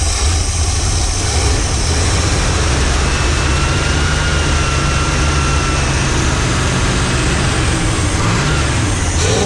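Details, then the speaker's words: Running Chrysler 360 LA small-block V8 with a two-barrel carb before removal: deep heavy rumble with an uneven, loping, rich beat, sounding like it has a cam; it is flooding out. "Sounds it's it's following out so bad. It sounds like it's got a cam."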